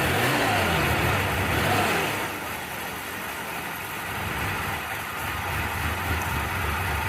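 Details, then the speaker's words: 1990 Mitsubishi Montero idling after a new coil and reinstalled distributor: uneven, wavering, lumpy idle with dips, misfiring as timing light shows inconsistent spark; coil not the culprit, cause still unknown. "still runs. Wouldn't say it runs good. not consistently spark."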